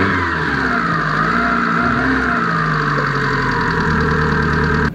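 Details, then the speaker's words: 20-year-old Mitsubishi Lancer 1.8 petrol automatic idling just after cold start following months parked: steady, even idle, smooth low hum, no knocks or misses; engine running healthy. "ಒಂದೇ ಸತಿ ಗಾನಾಗ್ಬಿಡ್ತು. ಅದಕ್ಕೆ actually ಹೇಳ್ಬೇಕಾದ್ರೆ Mitsubishi ಇಂಜಿನ್ಗಳೆಲ್ಲ super ಅಂತ ಹೇಳೋದು."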